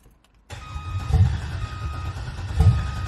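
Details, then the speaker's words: 1986 Chevrolet El Camino with LS swap, swapped heads and cam, first start-up: low, slow cranking with fuel pump running that never catches; anti-theft (VATS) not deleted blocks firing. "it's trying to start but it's not going to start because the bats which is the vehicle anti-theft is not deleted"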